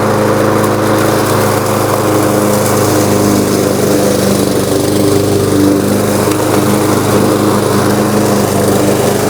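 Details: Lowes M230 163cc self-propelled lawn mower with fresh oil, started: steady, even single-cylinder buzz at constant speed with no surging or misfires; runs healthy.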